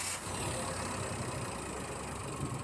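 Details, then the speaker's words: Toyota Wigo after fixing misfire (cylinder 3 misfire code) by replacing spark plugs with Denso plugs, ignition coils tested OK: steady even idle hum, no stumble, normal vibration; engine running smoothly. "So yung andar ng engine ay standard na Soo yung normal vibration"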